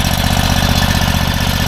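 Small single-cylinder engine settled into a quick, even putter with steady pulses and no misses; runs clean and healthy.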